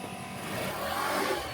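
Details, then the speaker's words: Carbureted Honda Vario scooter that suddenly stalled, after refitting the battery and confirming spark: small single-cylinder engine starts and revs smoothly with no misfire; runs again, though charging later found faulty from the regulator. "Oke, selangkah selanjutnya kita akan coba hidupkan motornya teman-teman. Oke teman-teman, motor sudah hidup kembali ya."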